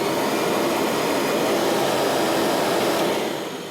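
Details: Kirby vacuum cleaner after a belt replacement: even, smooth motor roar with a steady whoosh of air, no slapping or squeal, then winding down. It runs normally.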